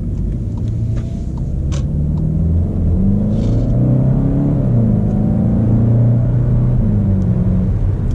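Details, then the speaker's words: VW Golf GTE plug-in hybrid accelerating with boost at maximum: a smooth, even engine note climbs steadily with no knocks or rattles, a healthy engine pulling cleanly. "Nu aș vrea să intru pe stradă cu ea, dar îmi place foarte mult cum se aude și cum rulează."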